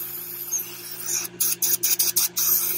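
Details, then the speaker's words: Pool filter being primed after cleaning, pump on: sharp hiss sputtering in short bursts over a low hum as trapped air bleeds from the filter valve until water flows; normal. "So just let all the air bubbles to go out. It might take a while, so we just have to wait until it starts pouring a little bit of water, and then close this back in."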